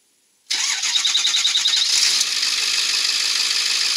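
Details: 2002 Ford F350 with a high-mileage 7.3 Powerstroke diesel, starting after a bad glow plug was replaced to cure heavy startup smoke: it catches after a short crank and settles into steady, even diesel clatter, with only slight haze.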